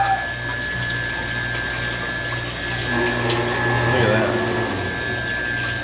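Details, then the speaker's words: Manitowoc ice machine: steady pump hum under a strong rush of water over the evaporator grid, may need throttling; no rattle or cavitation, normal circulation. "Okay, now it's pumping over the grid, but man, it looks like it's hauling balls."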